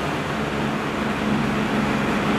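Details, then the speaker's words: 12-inch Penncrest (Lakewood) 2-speed box fan, 1.4 A General Electric motor, clean motor, good spin-down, run with grills back on: steady even whoosh and light hum, no rattle or wobble; grills reduce shaking, normal running. "spin down time is really good and the motor is nice and clean I'll give it one more run with the grills on doesn't shake as much with the grills"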